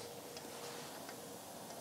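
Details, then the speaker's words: Race car front wheel spun by hand during suspension rebuild: quiet turning with only a faint soft tick, no grinding or rumble, a healthy wheel bearing with no play. "it doesn't make any annoying sound or grinding sounds um so that's good"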